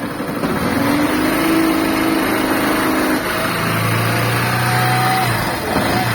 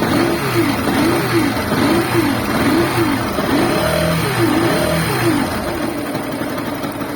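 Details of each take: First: Small motorcycle engine revs up and settles smoothly with no whirring or grinding, the bearing-like noise gone once the stator connector is disconnected; it returns when reconnected. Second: Running motorcycle engine with a wavering, bearing-like whine resembling a bad clutch bearing, rising and falling with revs; noise disappears when stator connector is unplugged and returns when reconnected: stator/charging circuit noise.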